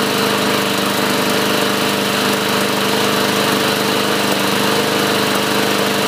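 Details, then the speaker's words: 2014 Murray 500E 22-inch mower, 5 hp Briggs & Stratton, after carburetor cleaning (water contamination, plugged jets), new air filter and used recoil: steady even drone at constant speed, no surging, misses or rattles; running healthily. "great sounding machine this should sell rather quickly with the high rear wheels"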